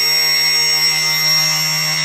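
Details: Brushless motor on a Myflydream aircraft, compared against one with suspected bad bearing and warped part: steady, clean high-pitched whir, even pitch, no roughness or vibration; smooth, healthy motor.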